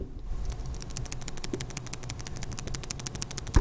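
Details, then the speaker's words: Samsung Galaxy Note 9 phone: rapid, even ticking about ten clicks a second from the loose camera module rattling; fixed by replacing the camera. "be making that noise that's what the problem is and we now have a new camera which doesn't make the noise"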